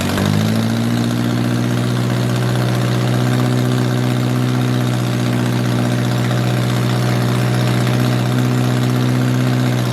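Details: 1978 MG with 1.6L Miata engine in a cold garage, after idle air control valve delete to fix a vacuum leak. Steady, even idle, smooth low thrum, a bit high while cold, no misses or knocks; healthy.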